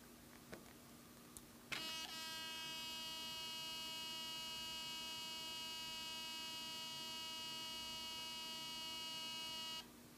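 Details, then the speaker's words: Olympus OM-D camera in aperture-priority mode, switched off and on again: steady high-pitched electrical buzz holds about eight seconds after switch-on, then stops; abnormal noise judged a fault, cause unknown. "こういう異音がします。一回切ります。もう一度オンにします。不具合です。"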